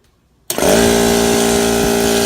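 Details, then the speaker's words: Air compressor that made a noise and tripped the breaker, after motor shaft was punched in about 1/8 to 3/16 inch: motor kicks on cleanly into a steady, even hum with no labouring; normal running. "Okay, so once it got in, I put everything back. Like this, and once I turn it on, boom, it run okay."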